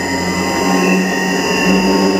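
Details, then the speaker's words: Motor driven by an INVT CHF100A VFD with carrier frequency (P0.14) set to 1: loud, steady high whistle from the motor; raising the setting to 8 and above quiets it but makes the drive run hotter. "अब मोटर की आवाज़ सुनो। ये देखें मोटर की काफ़ी ज़्यादा आवाज़ है।"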